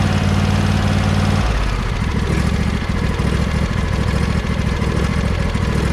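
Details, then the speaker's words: John Deere 100 series lawn tractor single-cylinder engine after valve adjustment (valves found tight, not loose; spec four to six thou): steady even low thumping idle; ticking unchanged by the adjustment, as expected. "i don't know if this sounds any better i hope you can hear that ticket i mean because the valves weren't loose they were tight i didn't expect it was going to make any real difference in noise"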